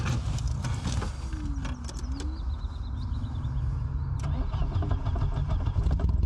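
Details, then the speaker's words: Police car abandoned 40 years after crash, first start after fuel hose cleared and reconnected to carburetor: engine cranks, catches and settles into a steady low idle with some creaks; starts and runs evenly. "Yes, it actually started up. The idle sounds stable too. Just listen to that engine roar."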